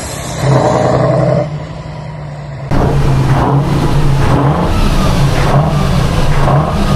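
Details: 1976 Tatra 813 V12 truck, restored after 20 years unused, exhaust sound: deep even rumble swelling with each throttle blip and settling back cleanly; normal smooth revving.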